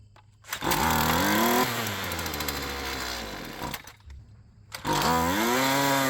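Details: Poulan Pro PP28 two-stroke string trimmer, just started on ether: flares up high, sags, nearly dies, then surges again; idle speed too low and mixture lean, before idle and low-speed carburettor adjustment.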